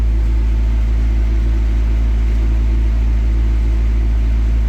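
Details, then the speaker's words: Rebuilt crashed McLaren idling in neutral after wiring repairs, before an oil change: deep, steady burble with an even pulse and no knocks or ticks; normal, healthy idle. "Dude, I'm just listening to it idle right now. It sounds healthy and it sounds powerful."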